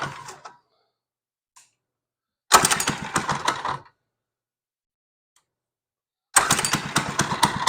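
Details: Monster Moto 80 minibike started after repair, with gas in and the choke on: short bursts of fast popping, then steady running; it starts and runs normally.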